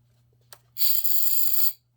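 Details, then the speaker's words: Tina quad hover test: thin high motor whine with a brief tick as a propeller clips the protruding receiver antenna. "that sounds like it's hitting something what would it be hitting oh it looks like uh the receiver antenna is kind of sticking out a little bit"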